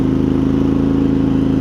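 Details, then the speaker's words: Craftsman garden tractor with Kohler CV20, warmed up, after carb clean, driving: even steady mid-pitched drone with regular firing pulse, no surging once it finds its groove; running smoothly. "they must these these mowers must just not have a lot of torque to them or something but you hear it's not surging or anything once it Finds Its Groove it's"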